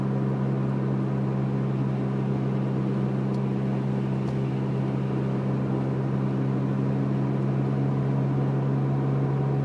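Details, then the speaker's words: Prius with a 4 kWh add-on battery, converter fan running, cruising at about 50 mph with the gas engine running: steady low buzz at even pitch under road noise; owner says it's a wheel bearing. "hear that noise is my wheel bearing that buzzing the fan is still running on the converter by the way"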